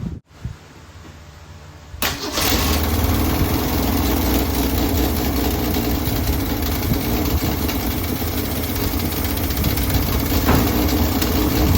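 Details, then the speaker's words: 1965 Ford Mustang 200 inline-six, started after throttle ball stud repair, no tachometer: cold start then fast, steady idle sitting noticeably high; idle to be set warm by manual. "Sounds like the idle's a little bit high on this thing, and of course there's no tachometer on it, so I'll probably just have to get my tachometer out and then look at the book that I have in the Chilt manual and see what the idle RPM needs to be while it's warm, and then I'll get it all tuned in."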